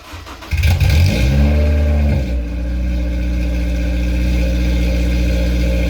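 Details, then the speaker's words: Honda S2000, not driven for 7 years, with a straight-piped 3-inch exhaust: starts and revs to about 3,000 rpm with a deep, booming, raspy drone, then settles into a loud idle. Unmuffled straight-pipe exhaust. "With that being said, let's take a listen to what the straight piped 3-inch exhaust sounds like."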